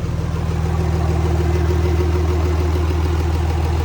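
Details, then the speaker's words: 2005 5.9 Cummins after installing an Industrial Injection add-a-S400 compound turbo with two mufflers, turbo primed with oil. Smooth, even diesel idle with a steady low clatter of about three beats a second, no hiss or rattle; much quieter. "And you guys saw us prime the turbo up with oil. Much quieter. Much quieter."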